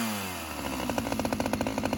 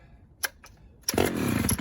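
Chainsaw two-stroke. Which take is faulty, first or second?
first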